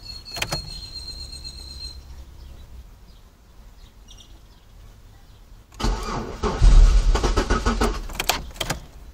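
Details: 2002 Chevy Malibu after sitting for hours: starter churns steadily at about three turns a second but the engine never fires until the battery runs low; fuel pump, spark and battery reportedly fine, cause unknown.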